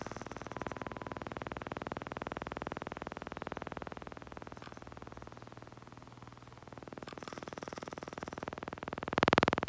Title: Mavic Pro - Gimbal strange noise